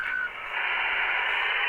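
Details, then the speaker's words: Retevis RT97s or Midland MXR10 GMRS repeater with PC interface via DB9: after unkey a steady hiss fills about two seconds of hang time, noise on the unfiltered mic line; a filter capacitor is planned as the fix. "but that's the noise right there that and that's going to be normal because I gotta I think I gotta put a filter capacitor on that mic line"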